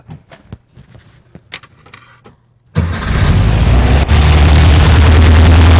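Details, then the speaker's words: 1964 VW Beetle air-cooled engine, started still warm with automatic choke after the ignition coil was replaced: a few seconds of uneven clicks and cranking, then it catches cleanly and runs strong and steady, a healthy start. "all right that was still a bit of a hot start I'm gonna wait for that uh choke to actually quote that element or whatever to actually cool down"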